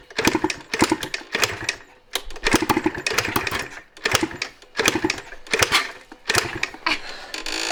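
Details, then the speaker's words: 1986 Yamaha IT200 two-stroke enduro after oil was dumped into the cylinder: about eight sharp kick-start strokes, each with brief barking pops like a hit-and-miss engine, never catching. Won't start. "She's a barker. Sounds like the old hit and miss engines. Take me back to 1910."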